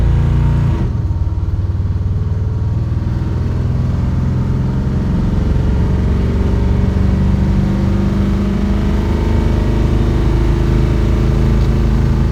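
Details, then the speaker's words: 1984 Chevy Silverado V8 after ignition timing adjustment for a slight miss, test drive in overdrive: deep even drone at highway speed with no stumble or surging; smooth cruise. "This is so much smoother. I like this. This is doable. I like this better. Much better."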